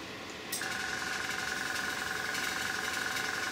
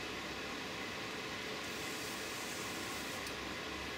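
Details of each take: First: Small airbrush air compressor with a tank; steady, fast pulsing chug and constant hum as it recharges its tank normally. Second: Airbrush spraying with a compressor that has a tank: steady air hiss with a rough, uneven spitting edge, splattering from air bubbles in paint just shaken up; air pressure raised to try to clear it.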